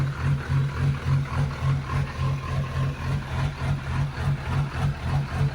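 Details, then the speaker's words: Duramax diesel swapped into a 1953 Chevy truck: steady, even idle with a smooth pulse about 3.5 times a second, no misses or knocks; runs as it should. "All right. Well, I forgot to record, but we just started it. Um, everything went like it's supposed to."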